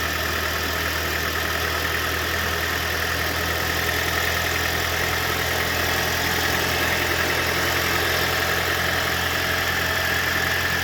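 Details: 2012 Scion xD idling after the serpentine belt, which had fallen off, was refitted: steady, even idle hum with no belt squeal or chirp; engine and accessory drive quiet and healthy.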